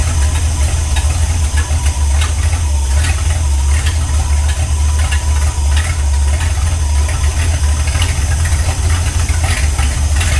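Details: Ford Galaxie 500 V8 on first start after restoration: loud uneven lumpy idle with sharp irregular pops, rough running and backfiring; suspected excess fuel, carburetor leaking badly with floats possibly too high, not confirmed.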